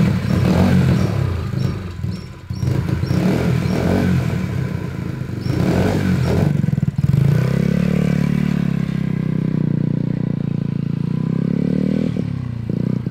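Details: Vintage mini bike single on its first run after carburetor install: pops and stumbles unevenly about four times a second, revving and falling back; runs rough, cause unclear.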